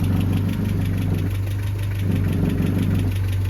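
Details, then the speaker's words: Land Rover Series 3 at idle: a faint repeating knock rides over the steady engine beat, traced to a loose gap near the light on the wing. "there's a knock somewhere I think oh it's down there look just that Gap there"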